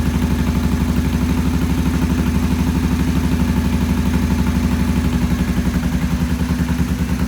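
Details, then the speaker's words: Vintage British twin motorcycle with Monobloc carburettors, first start with choke off after timing set and idle raised: low, slightly uneven thumping idle about two and a half beats a second; poor idle, pilot jets then cleaned. "We cleaned the pilot jets. They're back in, and we're going to do a start. And it wouldn't idle before very well, so we're going to fire it up now and see what it does."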